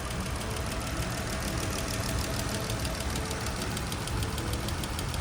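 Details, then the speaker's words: Chrysler Pentastar V6 (3.6 or 3.2) Jeep petrol engine at idle with fast even ticking: a failed roller rocker arm wore away its camshaft lobe, causing restricted valve opening, misfire, rough running and check engine light. "therefore causing misfire, running rough, loud ticking noises, check engine light essentially. So if you hear your engine making this tick, tick, tick, tick, tick noise,"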